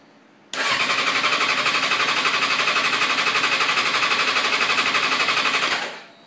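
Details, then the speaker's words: 2005 Suzuki GSXR 750 with 600 engine that began missing then wouldn't start; injectors cleaned and firing, battery charged, starting fluid tried: steady four pulses a second cranking for five seconds, never fires; owner suspects no spark, unconfirmed. "if you turn the engine over they all seem to be firing good so injectors fuel is not the problem it's getting fuel something's wrong somewhere else"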